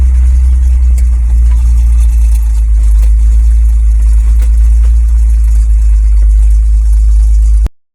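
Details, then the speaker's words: GMC C5500 heavy truck, original 86,000-mile example, running again after sitting for years, with a freshly rebuilt Stromberg WWC carburetor and a plugged manifold hole: deep, steady low rumble, no knocks or misses; normal running. "Factory he runs again and just look how happy he looks he looks positively pleased with himself"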